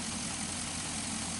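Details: 2005 Chevy Envoy, about 178,000–179,000 miles, idling after the serpentine belt and pulleys were replaced over an earlier pulley noise: even, steady idle with a smooth hum, no squeal or chirp from the belt drive; healthy.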